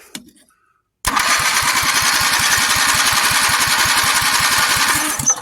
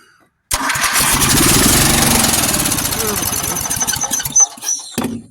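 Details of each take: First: 400 cc engine on a replica build, cranked using a golf cart battery: starter churns steadily about three pulses a second for four seconds without catching; cranks but won't start. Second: 400 cc engine on a replica build, on golf cart battery after earlier popping attempts: starter cranks, engine fires at once and buzzes along steadily; starts and runs, fully functional.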